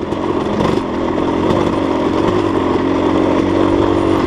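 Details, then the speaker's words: Dirt bike with a Rekluse auto-clutch on a long steep downhill: steady engine drone with slight rough chatter and wind, throttle blipped; normal engine braking, just gaining speed. "Still engine braking on this downhill. Just going faster."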